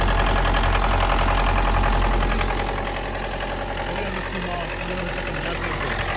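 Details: 2011 Mitsubishi L200 2.5 diesel, automatic, crash-damaged, odometer reading 79,000 km but suspected rolled back: at idle a steady, even knock three to four times a second over the diesel clatter; source not pinned down.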